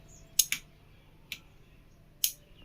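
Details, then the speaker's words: V-Guard AC voltage stabilizer after capacitor replacement, switched off and on: crisp relay ticks, a quick double click then single clicks; normal relay sound at on and off, stabilizer repaired and output correct. "Sound வந்தால் தான் உங்களுக்கு stabiliser நல்லா இருக்குங்கிறது அர்த்தம்."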